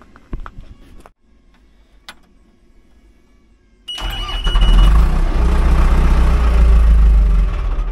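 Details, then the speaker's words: Logging dozer diesel with low track power under load, vacuum having drawn fuel back from filters to tank: cranks, catches, runs a few seconds then dies, smoking from exhaust; fuel starvation issue, cause still being traced. "just died that's definitely a fuel issue there I'm gonna have to look into that"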